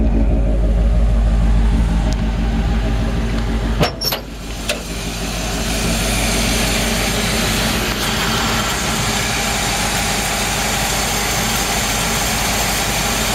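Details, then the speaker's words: 1958 Chevrolet Biscayne V8, restored about 15–18 years ago and mechanically maintained, idling: brief clatter then even steady burble, no knocks or misses; runs great. "you hear the engine runs great i'm gonna shut it off and then we'll talk about the car a little bit more"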